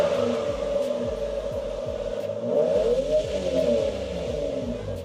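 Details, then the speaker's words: Toyota Supra with 2JZ engine, intake not yet installed, first start after a long break; it revs and settles smoothly with an even exhaust note, no popping or stumble; normal running. "The engine runs smoothly and quietly, but I'd still add a turbo."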